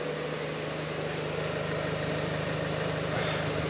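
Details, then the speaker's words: Opel Insignia, about 2020, 1.6 B16DTH diesel, 136,000 km, hot idle before repair: soft regular chatter about three per second, likely from the crankshaft chain drive sprocket or dual-mass flywheel; chain stretch suspected; rattle at idle. "но звук бывает ужасный когда заводится треск и треск бывает не пропадает долгое время Это обусловлено растяжением цепи"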